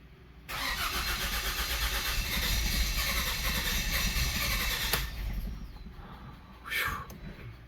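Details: 2008 Mazda CX7 2.3 L turbo with a rebuilt 2010 engine, first crank after power to the starter is restored: steady fast churning for about four seconds, no clicking or grinding; healthy cranking, doesn't start because the tank is empty.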